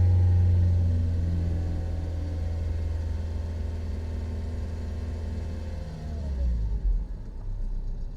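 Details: Daihatsu Sigra that would not start, suspected flat battery: engine held at a steady raised speed to charge the battery, smooth and even, no misses or knocks; normal revving, though battery later too weak to restart.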